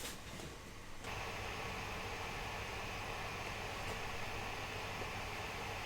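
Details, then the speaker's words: 2018 Mac Mini with CPUs flat out running a HandBrake video conversion plus virtual machines: soft, steady airy hiss with a faint constant hum, no rattles or pulsing; normal cooling fan noise under full load. "that's upset the fan noise isn't that intrusive I mean I can certainly hear it but it's not enough to bother me"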